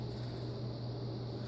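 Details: Quoizel 38" hugger ceiling fan on high via variable speed control, drawing nearly an amp: even low drone, steady hum near 120 Hz, soft air rush, no ticks or wobble; running fine.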